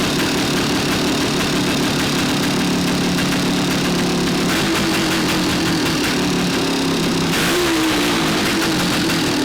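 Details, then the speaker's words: 1975 Yamaha DT400B 400cc two-stroke barn find, sat for decades, first run after fixing no-spark: idling with hard metallic rattle ringing in the top of the cylinder; piston slap despite good compression, rebore and crank rebuild planned. "Sounds just like a DT400, got a lot of piston slap. You can hear it ringing in the top of the cylinder head, so I think although the compression's good, we'll definitely give it a rebore, definitely rebuild the crank, and I'm good to go now."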